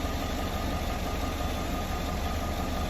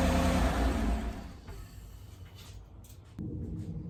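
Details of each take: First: 2018 Chevrolet Silverado 5.3 L, started the next morning after a water pump and new belt replacement, checked for leaks. Smooth, steady low idle with an even beat and no ticking, knocking or squeal; the engine is running fine. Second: 2018 Chevrolet Silverado 5.3L at idle: a steady, low rough rumble with a dull grinding undertone, sounding like bad bearings. The owner hoped it was only the tensioner pulley.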